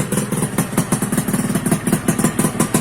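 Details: 2001 Suzuki Satria 2-stroke (Lumba) idling after the no-spark caused by the failed on/off button was cured: crisp, quick popping, fairly even with slight two-stroke unevenness; healthy idle.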